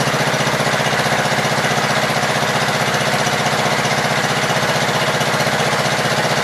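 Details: Gravely Pro 12 walk-behind single-cylinder engine, choke on, just above idle, thumping evenly at about four beats a second with no misfires; deck turns stiffly and the Swiftmatic and clutch need adjusting, but the engine sounds healthy.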